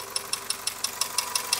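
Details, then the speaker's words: 21-year-old engine, warmed up after a frosty-night cold start: sharp, even ticking knock about six times a second over quiet idle; cause not pinned down, engine repair planned. "На 21-летнем двигателе уже и пора бы. Вот. Лезет. Прогретый. Хороший стук лезет сам."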